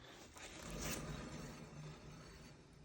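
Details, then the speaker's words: Car at speed above 50–60 km/h: rough gritty rumble with low droning hum and vibration felt at the strut spring as the wheel turns; worn wheel bearing, noise gone after replacement. "propriétaire de la voiture plin qui en roulant vite à partir de 50 60 km/h ça fait un bruit pas possible donc on va écouter le roulement ensemble"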